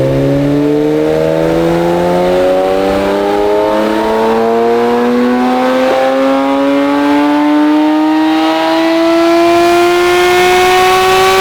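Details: Fully built supercharged Acura NSX, freshly tuned, about 450 whp, first drive: smooth rising pull through the revs, clean climbing rowdy tone, no misfires or rattles; healthy.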